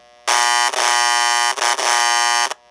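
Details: Hudson 326 air chime horn after final repairs, horn generator with new replacement capacitor greatly reducing background buzzing; two loud steady buzzy blasts with rich chord of tones, just as loud as before, normal horn sound.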